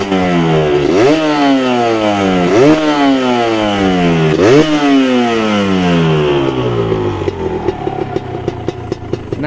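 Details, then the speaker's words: Kawasaki Ninja two-stroke started from idle, three throttle blips rising and falling smoothly, no rattle or piston slap on the decel; the smoothest of the Ninja two-strokes; healthy two-stroke engine, no piston slap. "nah di sela-sela kita turun gas itu kalau misalkan pistonnya udah parah ya udah waktunya itu akan terdengar suara ternyata seperti itu ya kita ulangi lagi ya Wow seperti itu ya teriakan tidak ada ya ini memang yang terhalus di Ninja 2tak ini"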